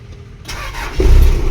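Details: Toyota Mega Cruiser (24-volt system) that wouldn't start, after basic troubleshooting: starter whirs briefly, engine catches cleanly at about one second and settles into a firm, steady idle; good start.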